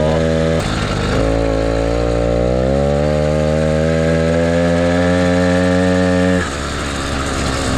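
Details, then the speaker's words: Motorized bicycle ("the Mule") small two-stroke kit engine, brought in for a no-start; buzzing note climbs smoothly in pitch, firing cleanly with no stumble; runs fine before teardown, which later found fuel in the float and a thin clutch pad. "all right sounds good I really really dig this bike"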